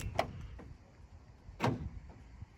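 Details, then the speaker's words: Starline S9 alarm on Citroen Relay van arming: electronic internal deadbolts on side load door and rear barn door fire 1 s after arming with a double pulse (second pulse half a second later); two sharp clunks, normal deadlock operation. "you hear that? So you just did a double pulse on that lock just to fire that bolt in on the side door and the barn door."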